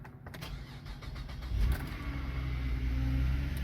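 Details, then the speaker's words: 2010 Chevy Traverse after valve cover replacement, codes cleared (camshaft position sensor Bank 1, small EVAP leak); after start a faint, steady low whine rises over the quiet idle, power steering pump sounds awful; a separate click, possibly exhaust tapping. "see if code comes back the power steering pump sounds awful"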